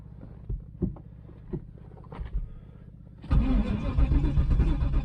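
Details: 1996 Pontiac Trans Am LT1 5.7 V8 non-runner after temporary fuel pump hookup and new filter; slow uneven starter chugging about four per second then louder spinning that never runs; cranks, no start.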